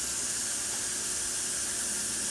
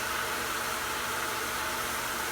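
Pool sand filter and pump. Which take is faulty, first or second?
first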